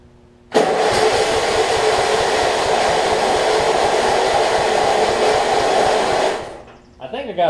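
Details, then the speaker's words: Murray rear-engine rider, flathead engine, running on a jumper battery before repair: catches and runs a flat, steady drone, struggling to reach full rpm; low compression from an exhaust valve problem, later fixed by grinding the exhaust valve. "as you can see it's like it it's like it struggles to to reach um full run rpm a lot of that time"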